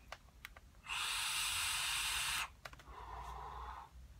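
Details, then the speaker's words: Augvape Merlin RDTA vape atomizer at about 90 W with Red Crumble juice; closing the airflow even slightly gives a loud, sharp whistling hiss, which eases once the airflow is opened fully: restricted airflow draw noise. "je Fas des deux de si on ferme l'airfow ça fait du bruit"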